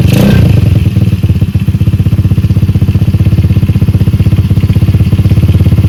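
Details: Stallion Monkey 125cc (Star) single-cylinder minibike, stock apart from a small-magneto conversion with the starter removed, just fitted with a replacement carburetor: catches quickly, then an even, quick thumping idle with a steady beat and no misses; healthy.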